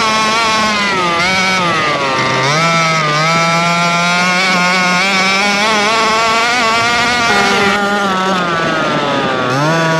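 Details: Rovan Baja 5B RC two-stroke, fresh fuel, carburettor needles reset to factory (high and low, 1 1/4 and 1 1/2) after earlier no-start, rested an hour: crisp buzz revs up and settles cleanly repeatedly, no misfires; running well.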